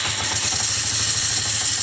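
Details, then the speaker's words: Yamaha Mio Smile scooter idling with a harsh, raspy scraping from the CVT. The rear wheel will not turn when throttled. The drive fan is rubbing because the front pulley nut worked loose. "Nah, ini teman-teman ya, bunyinya di CVT. Dengan keadaan bannya nggak muter ya."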